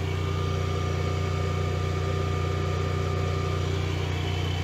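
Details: Generac-built Honeywell standby generator, called out for an overspeed failure, running under load at about 243 V and 59.9 Hz: a steady, even governed drone with no hunting or surging. An engine problem remains unresolved.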